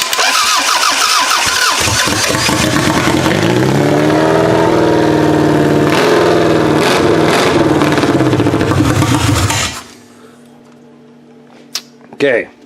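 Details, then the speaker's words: 2001 Camry engine swapped into a 1994 Camry wagon derby car, on battery booster, no return line, quick start used: catches, revs unevenly, hunts, cuts out; massive vacuum leaks, suspected fuel leaks too. "it runs but there's just a couple of things we've got some massive vacuum leaks I think we've still got some massive fuel leaks as well to be honest"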